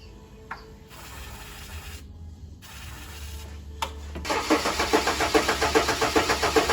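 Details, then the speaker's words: Ford AU Falcon with revised trigger setup read by the ECU on a laptop, extra battery for fuel pump, M104 coils loosely fitted with poor connection suspected; short cranks then rough pulses two or three a second, huge backfire, won't run: misfire when starting. "Okay so I've been playing around with a trigger setup and this is how it sounds now okay that was a huge backfire smells"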